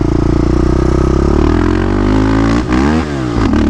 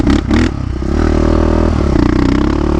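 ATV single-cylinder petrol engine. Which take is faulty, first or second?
second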